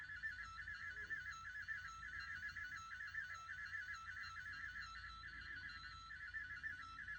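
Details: Marantz CD-65 II SE CD player squealing with a high, warbling tone pulsing about once a second, only when playing burned CD-Rs; original pressed CDs play fine.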